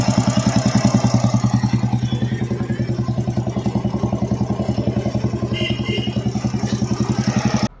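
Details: Royal Enfield Bullet with a tick-tick tappet noise complaint, idling after the RH cover was refitted: steady, even single-cylinder thump at about 3.5 beats per second with no ticking, a clean idle.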